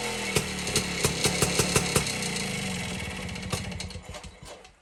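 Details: 1952 BSA D1 Bantam engine in a test rig, first start in over two years after tickling the carburetor; sharp two-stroke beat, uneven at first, settling to regular firing, then fading as it slows: normal two-stroke running.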